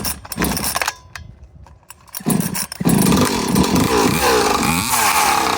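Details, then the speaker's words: Husqvarna 543XP chainsaw with pipe, stock chain: sputters and stumbles at low speed with uneven popping before catching into a rough warble; bottom-end mixture needs adjusting, owner unsure whether rich or lean. "For all the chainsaw people out there, is that rich or is that lean? Because everybody seems to know so much about saws and pipes. So tell me, on bottom end, is that rich or lean?"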